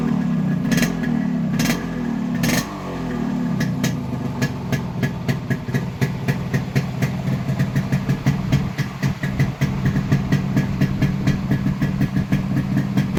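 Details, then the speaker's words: Yamaha RX100 fitted with an Indonesian RX King CDI unit via a wiring alteration, claimed to reach 14000 rpm versus 7000 for the Indian CDI. Crisp, even two-stroke popping picks up cleanly on each throttle blip; normal revving. "நீங்க sound beat ஒவ்வொரு type rice பண்றதும் sound beat மாறுறதை நீங்க பார்க்கலாம்"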